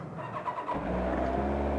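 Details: Kawasaki ZZR1100 (ZX11) four-cylinder on its centre stand after new coolant hoses, thermostat, fan, oil and filter and refurbished headers; hot day but still needs choke. Brief start, then a smooth, even idle with no knocks or misses; normal.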